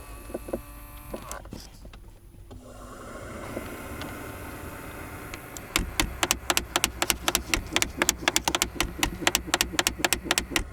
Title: 2012 Jeep Wrangler recirculation door actuator clicking noise